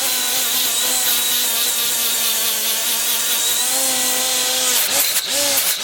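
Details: Milwaukee 90-degree die grinder (part 2485-20) with a Scotch-Brite surface-conditioning wheel removing gasket: steady high whine sags slightly as the wheel bites and recovers without stalling; running fine.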